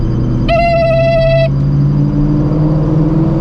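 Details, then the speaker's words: Supercharged (ProCharger) Shelby GT350 on the road: a clear, steady singing whine over the engine rumble fades as speed builds, which the owner considers normal; blower oil change pending. "I can just do it all at the same time and I already have a bottle of ProCharger oil too they sent like four bottles oo this thing is singing"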